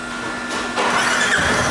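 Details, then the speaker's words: Teneré 250 single starts right after valve adjustment (exhaust valve had been tight, intake slightly loose; now set to spec), before oil and filter change: brief starter whir, catches quickly, settles into even run with no valve ticking; healthy start. "Bateu, pegou."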